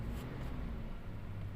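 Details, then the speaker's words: 2016 Toyota Hilux that cranked but would not start with code P1604. After replacing the faulty injection relay and clearing codes, it starts and holds RPM with a low, even rumble and no knocks; check light shows throttle pedal position circuit D, pickup lacking; normal idle. "गाड़ी तो start हो गई है, अभी देखिए RPM ले रही है, बस चेक लाइट आ रही है, वो किस चीज़ की आ रही है फिर से देखते हैं।"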